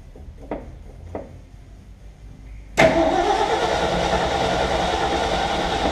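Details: Ford F750 haul truck, stock engine, possibly bad old gas, choke linkage jammed; faint clicks then steady cranking about three and a half beats per second that never catches; cranking no-start, no fuel delivery.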